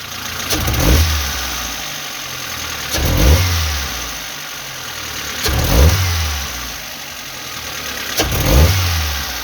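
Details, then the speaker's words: Geely CK running on petrol or LPG, with jerks and backfiring from about 1000–2000 rpm. After the HT leads were replaced, four quick throttle blips show revs climbing with a slight stumble. The work is slightly better but a dip remains, before the throttle position sensor is replaced. "ну Скажем так робота трішки на начебто покращилася але ще є перепадик"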